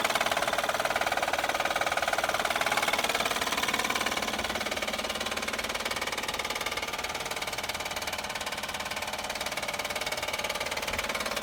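Fast, even ticking knock, roughly four per second, rides over the idle without letup; points to a failing timing belt tensioner.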